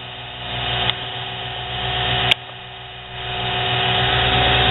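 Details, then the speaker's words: Lathe after burned-brush motor repair and new Gates belt: smooth motor hum and belt whir easing down from full to about half speed, little difference, no slipping squeal; normal running. "that's about half speed that's full speed there's not a whole lot of difference"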